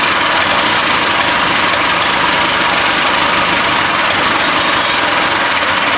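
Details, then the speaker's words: Barn-find Harley Davidson golf cart engine, fuel line newly fitted plus ether: loud, ragged noise sputtering as it tries to catch, never a clean beat; hard starting. "um it wants to start and it's last night this thing was not wanting to even do that"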